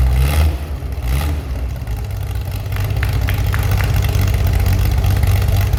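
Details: Chevy SS under restoration, engine restarted after the owner lowered the fuel level to fix a mistake; it has a non-original cam. A couple of sharp revs dropping back quickly, then steady even idle, no knocks or stumbles: healthy engine.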